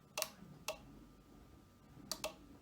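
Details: Ford 5.0 EFI harness conversion on the bench: the fuel pump relay clicks sharply, four times in about three seconds, in a quiet room, switching as the jumper between pins 22 and 20 is connected and removed, as it should.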